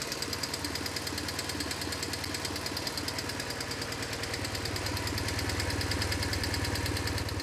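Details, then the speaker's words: BMW R1150GS twin idling with sharp RPM-dependent metallic tapping, much worse from the left cylinder, before adjustment; excessive valve clearance causing valve tapping. "It has a lot of valve noise, like super just like a sharp tapping noise that's RPM dependent. So my guess it's the something in the valve train"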